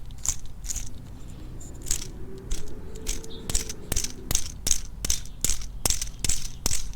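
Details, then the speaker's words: Worn idler pulley on the accessory serpentine belt, spun by hand with the engine off: sharp uneven clacks, two or three a second, over faint whir as loose bearings rattle inside. "hopefully you guys can hear the bearings clacking around in that"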